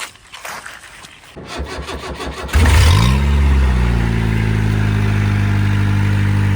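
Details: An old-model Mahindra diesel pickup, revived after what seems over two years unstarted: two seconds of cranking chatter, then it catches and settles into an even, steady low rumble. It starts and runs healthy, though the leaf springs are rusted.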